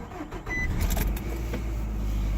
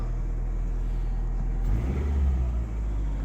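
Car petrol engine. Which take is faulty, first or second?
first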